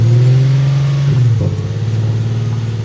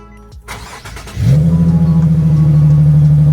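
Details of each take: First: Car started with the intakes removed: revs jump high and hold, then drop and hunt with a pulsing beat, surging idle; owner attributes it to the missing air intake. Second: Car started after its old battery was recharged and reinstalled: brief cranking, catches cleanly at about one second, settles into an even steady idle; healthy start, battery appears good.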